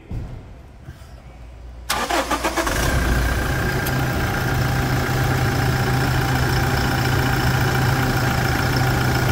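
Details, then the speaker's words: Toyota Hilux diesel pickup with 440,000 km, hood open, during service for rear wheel-end bearing, control arm and oil: quick crank, catches within a second and settles into a steady, even diesel clatter at idle; normal healthy start and idle. "Ô Samurai Abre o abre o capô para mim aqui abre o capô e vamos escutar a melodia depois da partida fica aí da partida para mim olha isso sensacional né"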